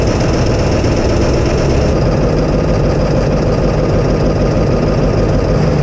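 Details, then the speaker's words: 1999 Ford F350, 7.3 Power Stroke HEUI diesel, unstarted about 4 months, at 5°F with the ICP sensor unplugged: loud, low clatter with a slightly uneven, lumpy beat. Runs rough in the cold, but it runs. "So with our ICP sensor unplugged, it runs. Runs a little rough because it's about 5 degrees Fahrenheit out here"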